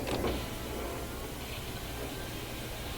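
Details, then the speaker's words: Honda Odyssey power window run with the master switch during a diagnosis of windows not working: a brief clunk, then an even electric whir as the glass travels up and down; the window motor works normally. "I hope you can hear it you can you can hear the window go up and down I'm using this switch over here"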